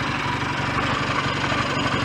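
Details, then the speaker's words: BSA A10 Super Rocket 650 twin, hot, after cleaning the throttle-slide needle and raising it two grooves: steady, even beat with a clean exhaust note and no knocks or rattles; no leaks or smoke, and the idle is a little fast but otherwise healthy. "engine sounds good no leaks no smoke [Music] i might um turn the tick over down a little bit actually it's uh ticking over a little on the fast side"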